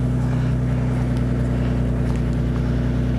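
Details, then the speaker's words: Toyota Supra first drive after four months of winter storage, pulling out: smooth, deep, steady engine drone with no ticking, knocking or stumbling; running healthy. "oh it sounds so good I've missed this so much sounds like it's running good"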